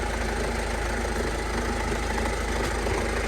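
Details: Salvage-auction diesel van at idle: an uneven, fast clattery rattle over a deep steady rumble at the front corner of the engine. The owner suspects the power steering pump; unconfirmed.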